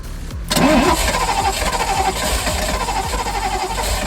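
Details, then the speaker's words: Ferrari 308 GTSi after a new ECU and new injectors, with one injector line off into a glass: steady cranking churn for about four seconds that never fires, and no fuel sprays out; fuel starvation. "Is going to fire it up and just see if we get some fuel spraying through. See if I can get that on camera. Okay, go for it. And nothing. Not a drop."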